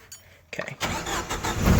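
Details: 1995 Jeep Wrangler YJ, 2.5L four-cylinder, five-speed: brisk crank, then it starts at once and runs steady. A belt squeal is present, and an exhaust manifold leak is typical for it.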